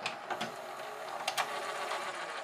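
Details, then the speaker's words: GoVideo DVR4000 DVD-VCR, lights off: irregular clicks and whirring as the tape mechanism strains to unload the cassette; poor take-up torque from a cracked drive gear detached from the clutch; video lights suspected of disturbing the optical tape sensors. "it doesn't like that a bit yeah it is not happy"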